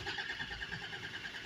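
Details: Land Rover Discovery 2 Td5 that cut out on the way to its MOT: starter churns evenly at about ten beats a second but the engine never fires. A faulty fuel regulator was letting air into the supply; it was fixed by fitting a new regulator.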